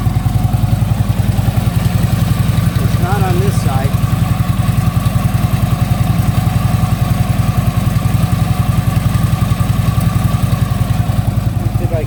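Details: Harley Ultra Limited V-twin idling after new compensator fitted: compensator now quiet, but a steady light knock about three and a half per second deep in the lower end; sounds like something loose, source not found.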